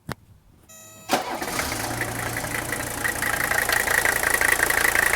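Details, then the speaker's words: OM617 turbo diesel in a 1981 Mercedes 300SD, cold start: brief crank firing after about two compression strokes, then steady even idle clatter, no stumbling, hesitation or coughing, quiet injectors; healthy engine. "Did you notice how quickly that fired up? I mean, it probably only came up on 2 compression strokes before it actually started. And look at how it started. There was no stumbling, there was no hesitation, no coughing, no rumble."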